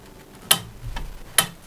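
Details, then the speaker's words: Outboard motor lower unit in gear, propeller turned backwards by hand: sharp separate clicks as the ratchet dog on the shaft slips, which is normal, not a gearbox fault. "свой понесу чтобы слышно было что щелкать это не щелкает она упирается свободным ходом"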